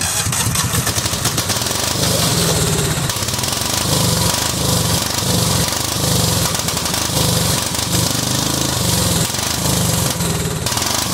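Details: $50 Cub Cadet 2130 lawn tractor, water and rust in fuel system, just started: choppy, uneven running surging and stumbling in bursts; owner suspects water in the carburetor bowl.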